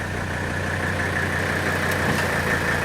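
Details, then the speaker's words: 1984 Mercedes 300D, 3.0-litre turbocharged five-cylinder diesel, heard from outside the car: steady, even diesel clatter at idle with a low constant drone, no misses or knocks; healthy normal idle. "so on your outside of the car you can hear the diesel engine which is to me a beautiful sound"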